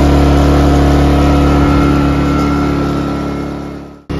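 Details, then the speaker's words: Ryobi 2300W/1800W inverter generator, previously surging at idle, after carburetor cleaning: steady, even engine hum holding one pitch with no hunting or surging, then stops; running smoothly. "the generator is running really smooth that is music to my ears"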